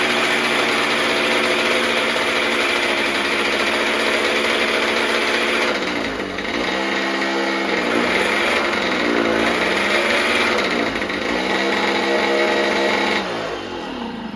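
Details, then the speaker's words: Motobécane 51 moped after a transmission rebuild with new pulley and parts, running on a bike lift with the strap holding the throttle open: high-revving two-stroke buzz, smooth and even with no knocks or grinding; normal running. "Mais comme vous pouvez le voir, ça tourne plutôt sereinement."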